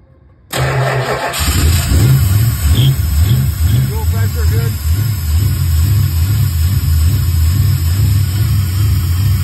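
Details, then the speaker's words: Engine with Aces EFI, fuel pressure 45–48 steady, O2 sensor moved about 10 in from collector; fires right up, uneven hunting idle for seconds, then dies unless throttled; owner suspects a large vacuum leak; starts then stalls. "it idles good it's fine and then it just cuts out and dies right away I can hit the throttle and keep it alive for a few seconds but it just dies instantly when I stop messing with it"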